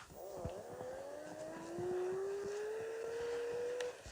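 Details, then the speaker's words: Electric scooter that sat broken for six months, test ride after rewiring, in third gear: a smooth hub-motor whine rises steadily in pitch as it picks up speed, with no grinding or knocking. It rides normally. "третье так он едет ну что ребята он едет"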